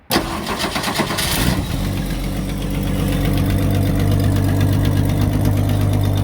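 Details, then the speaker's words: 1966 Ford Mustang six-cylinder, sat 22 years, fuel age unknown, cranked via the solenoid with starting fluid: catches with a burst, then a lumpy, wavering idle while blowing out the back. Rough start; cause unconfirmed. "Yeah, it's blowing out the back now. True, we don't know what kind of gas or how old the gas or how much gas is in the car. So yeah, good start though."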